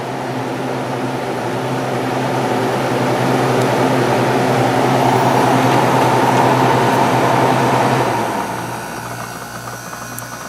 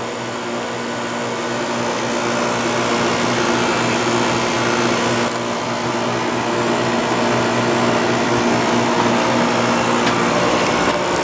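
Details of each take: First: Very clean, nearly like-new window air conditioner on coldest setting, constant fan, run through low, medium and high; smooth steady low hum, even airflow, no rattles or knocks; starting to get cold, nice and quiet, running normally. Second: Window air conditioner with a heater in front, with worn rubber compressor mounts: a loud, steady drone with a strong low buzz over the fan rush, as vibration passes into the case. It still cools ice cold but uses a lot of power.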